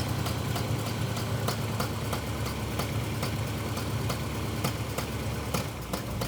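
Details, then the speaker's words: Engine with long-running backfiring, new distributor; a vacuum line found missing: uneven idle rumble with sharp regular ticks about three a second; ignition timing still too far advanced. "[Music] okay still too far ahead there we go okay okay shut it off"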